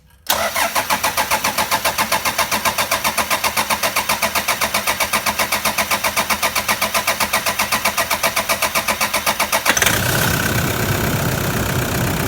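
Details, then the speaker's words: 2009 Toyota Prado 120 1KD-FTV diesel, 270,000 km, first start after new injectors, injector codes entered and cleanup: steady starter chug about four beats a second for nearly ten seconds before it catches into a rough run. "i expect it to be a bit of a coffin splatter to get it going after the cleanup"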